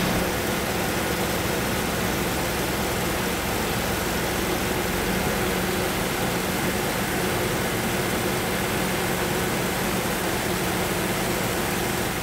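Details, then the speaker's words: BMW 750iL E38 5.4 V12, revived after ten years abandoned, idling after a hose replacement: steady, even rumble with smooth low hum, no knocks or ticks; much quieter than before, and the pump is expected to stop, making it quieter still. "qu'avant le remplacement de la duriteav ça fait beaucoup moins de bruit aussi à ce niveau la pompe va s'arrêter ça sera encore plus silencieux normalement"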